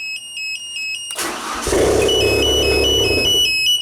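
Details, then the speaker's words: 1992 Genie boom lift started from platform control: a warning beeper chirps, the starter cranks, the engine catches and runs briefly, then quits after a couple of seconds; suspected fuel solenoid not energizing or relay CR3 at fault, not confirmed. "this sounds like it's the fuel solenoid is not turning on or or cr3"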